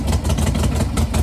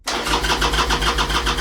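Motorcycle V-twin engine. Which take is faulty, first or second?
second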